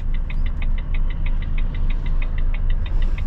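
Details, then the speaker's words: Truck indicator clicking fast, about six a second, over a low engine rumble, from a blown bulb somewhere. "We've got a bulb gone somewhere. You hear it clicking fast."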